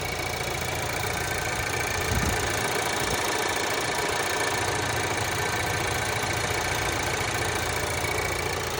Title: Стук двигателя changan cs55 plus 8тысяч пробега температура +3